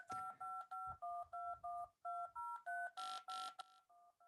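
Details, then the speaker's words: DTMF dial tones from a wavetable generator at amplitude 64: about nine two-note beeps, some turning harsh, hissy and buzzing as the waveform overflows. Dropping to 63 keeps sums within 0–127 and the tones clean. DTMF buzzing from amplitude overflow. "Yeah, it's not sounding right. I don't know if you can hear that, but it's definitely buzzing. So, if we go down to 63, we can avoid that buzz."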